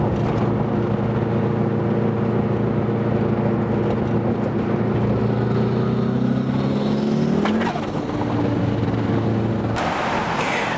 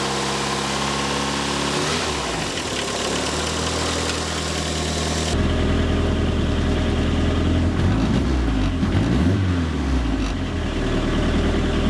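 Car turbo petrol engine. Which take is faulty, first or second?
first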